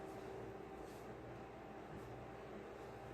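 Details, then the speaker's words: Aloha Breeze tower fan from about 2005, cleaned and serviced after oscillator motor failed, on medium: steady even air rush with faint motor hum, no ticking or rubbing, papers blowing 10–15 ft away. "i will say on low speed this thing is dead silent and it still pushes a good bit of a breeze"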